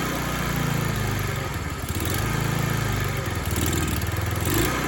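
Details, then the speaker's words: Free discarded TaoTao 50 scooter two-stroke, revived with carburetor and throttle linkage still untuned: surges and sags, revs dipping unevenly, needs throttle to keep running; owner plans carb adjustment. "So like I said, I still got to tinker with the throttle linkage a little bit and get the carburetor dialed in a little bit, but watch this. Got to baby the throttle a little bit because she doesn't want to stay running."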